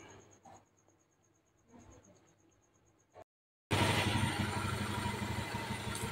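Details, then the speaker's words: Honda Beat FI scooter after engine rebuild with new piston and rings, fresh oil: quiet ticking at first, then steady even engine roar with no knocks or rattles; CVT and engine smooth, normal running. "Monggo Mas unit Honda beit F Mas punya jenengan on engine mesin alus ya Mas bagian CVT terus mesin Tengah halus Mas"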